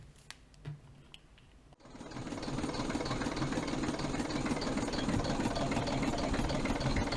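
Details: Diesel engine 3461 at idle on its first start in about two decades, with one rocker cover left off to check oil reaches the rockers: steady, even tick about three per second over the knock. Valve clearances suspected out, tappets not yet adjusted.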